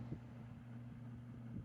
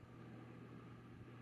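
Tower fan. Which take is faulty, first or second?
first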